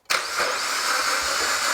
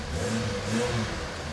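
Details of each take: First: Suzuki Jimny with a used engine bought as "fully tested," freshly filled with oil and coolant, first start attempt: starter spins the engine quickly and evenly with no compression chug; engine seems to have no compression. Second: Suzuki Jimny with a replacement engine, automatic, on a test drive after the build: engine picks up cleanly and settles back smoothly, an even note with no knocks or rattles, a bit more power; normal running.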